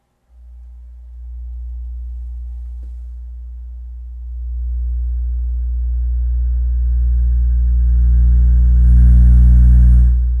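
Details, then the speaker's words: Miller & Kreisel MX-105 MkII subwoofer, previously distorted above low volume, after both bad main filter capacitors were replaced and the board fully recapped: deep test tone swells as the gain rises and stays clean with no distortion. "way better way better than before"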